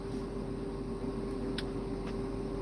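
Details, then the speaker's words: In a truck cab: a steady thin whine holding one pitch over a low cab hum. Inverter whine; the cause of the whining is unknown. "don't know why that is. Don't know why that whining noise is."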